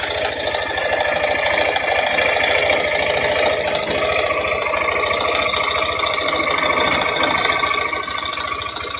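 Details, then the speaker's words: Motorcycle engine (a "660") running then revved: quick, regular hollow knock about three per second, likened to a rattlesnake; rocker arms checked under opened top cover, noise traced to the cylinder, early piston skirt slap. "Mas o barulho dessa moto é é tá vindo aqui do cilindro, tá, rapaziada? Tá batendo saia, beleza?"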